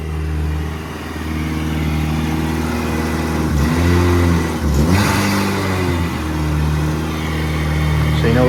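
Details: Eagle Talon 420A engine on a DIYAutoTune MegaSquirt ECU: steady idle, then clean rises and falls through a couple of blips with no misses. Normal running.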